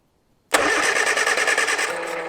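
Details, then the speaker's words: 1970 Morris 1300 (ADO16) barn find, first start attempts: starter turns the engine over with a quick, even chug for about two seconds but it never catches. A tester showed no spark; a later check found strong spark with corroded parts. Cranks but no start. "Nope, we have no spark."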